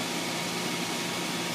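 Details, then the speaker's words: Hayward H350FDN pool heater after heat exchanger leak repair: even, steady burner roar with no popping, surging or rumble; ignition achieved and heater firing normally again. "and we have ignition and our heater is back up and"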